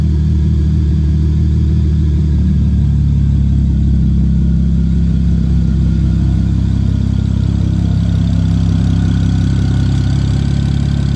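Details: 2007 BMW 335xi project car, first run after cooling system bled: steady, even deep rumble with no exhaust fitted, no knocks or misses. Normal running engine.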